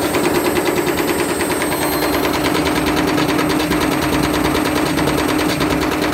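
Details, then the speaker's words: Candy Grand'O Vita GVC D91 CBB tumble dryer fitted with a universal washing machine motor: overspeeding drum with rapid rhythmic knocking about twice a second over steady motor hum, bashing and rubbing, cutting white plastic front swipe pieces. "you could hear it bashing around and it seems to be tearing some plastic off there those white swipe pieces seem to be getting cut off that plastic front piece"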